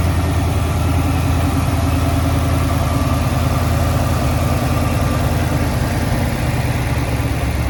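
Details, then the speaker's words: 7.3L Mustang on its second base tune (the first tune would not start and stay running when warm): deep, steady V8 idle with an even beat and no stumble, smoother idle and throttle response; more tuning still needed. "but already the idle is smoother the throttle response is better but we still have more tuning to do to get the final revised tune"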